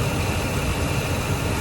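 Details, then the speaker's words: Ford F150 5.4/4.6 2V with P0307 cylinder 7 misfire, idling: uneven low thump stumbling every few beats; an ignition tester shows the cylinder 7 coil cutting in and out while other cylinders read steady, so the coil is replaced. "that right there is telling me that it's got a misfire"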